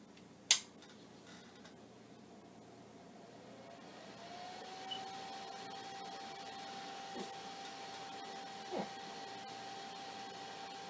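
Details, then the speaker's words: Commodore 9090 hard drive 120 V power supply, first power-up: click then quiet fan spins up to soft steady whir, no rattle or grinding; fan working normally so far. "well that sounds pretty much like a 96 or 99 it's supposed to sound the fan if the fan sucks area blows it through and it works and it's not sounding horribly so not at this moment"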